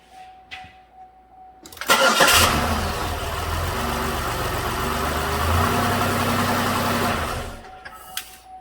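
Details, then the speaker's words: 2006 Buick Lucerne 3.8 after replacing dual hall effect crank sensor that cured crank-no-start (missing 18x signal), serpentine belt not yet fitted: short crank then catches at once into steady even idle; starts and runs healthy. "So I haven't put the serpentine belt on yet, but I'm going to start it and see if it'll work."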